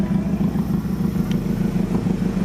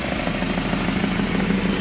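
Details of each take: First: H23A-swapped Honda Accord idling after a new ECT sensor was fitted for a morning no-start. It has no idle air control valve and sometimes stalls cold. Loud raspy puffing chuff about three beats a second comes from a flame-blown, busted-open flex pipe: an exhaust leak. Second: H23A-swapped Honda Accord with a morning-only no-start, after replacing the suspected ECT sensor: steady, even idle with a smooth low hum, no knocks or misses; sounds healthy.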